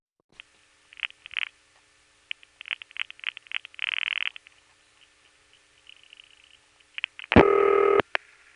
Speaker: There's a whole lot of RPing going on there.